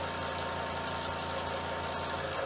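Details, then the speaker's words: Repaired DeWalt scroll saw run up to full speed (wide open) while listening for knocking: quiet, steady, even rapid buzz with no knocking or clatter, only expected noise; normal running at full speed. "You can notice how quiet it is, and as I speed the saw up, you'll notice that we're not picking up any noise other than what we would expect. There she is, wide open."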